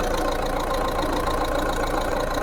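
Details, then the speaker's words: Mahindra Bolero ZLX, 2013, 70,000 km, turbo diesel, used-car engine inspection at idle: steady even diesel clatter, no misses or knocks; hand over the crankcase breather feels air pulses from piston movement but no smoke, a healthy engine. "हाथ रखते हैं तो इससे जो है वापसी है तो हवा जरूर आती है क्योंकि पिम ऊपर नीचे होते हैं ना तो हवा जो है इसमें से जरूर आती है पर धुआ नहीं आना चाहिए बिल्कुल"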